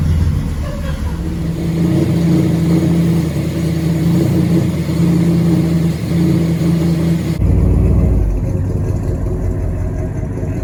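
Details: 1979 GMC Caballero big-block V8 after fixing exhaust leaks at the header-to-exhaust donut joint: steady rumble then hard revs, clean deep exhaust note with no ticking or puffing.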